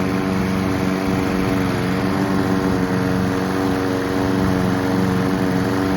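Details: Honda Izy and Mountfield lawn mowers being run out of fuel for winter storage, Mountfield with a replacement tank: steady, even engine drone with no misses, knocks or surging; running cleanly.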